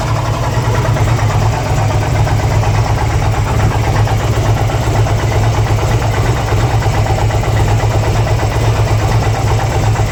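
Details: 2002 Harley-Davidson Ultra twin cam EFI V-twin at idle: uneven lumpy loping beat with an odd rattle riding on it; strange engine noise, cause unknown.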